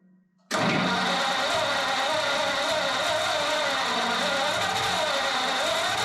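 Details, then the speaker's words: Ford flathead 8BA V8 from an F1 pickup, converted to 12V with new points, condenser, cap, rotor and coils, on its first start: steady cranking whir that never catches. Fuel starvation is suspected, so the next step is running a fuel line from the fuel pump to a gas tank. "I think my last thing to do is going to be um run a fuel line all the way from the fuel pump to a gas tank and see what it does"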